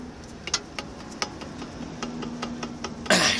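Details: Opel Astra J: sharp, uneven metallic clicks and knocks as a loose front brake caliper is rocked by hand while checking for suspension knocks.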